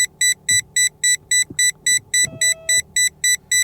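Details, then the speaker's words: Mahindra Scorpio N Z8 Select petrol manual with dealer-installed front parking sensors: quick, even high beeps about 3.5 per second over the engine hum as it nears a wall. Beeping speeds up closer and stops beyond 80 cm. Normal operation. "और इसका मैं on कर दूं beep तो आप इसकी आवाज भी सुन सकते हैं। जैसे आप पास जाते जाएंगे तो यह उतनी ही तेज होता जाएगा"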